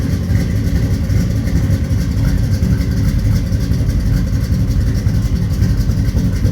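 Steady, even low rumble from a big V8 at idle with no knocks or misses; it settles in and runs smoothly after a cold start.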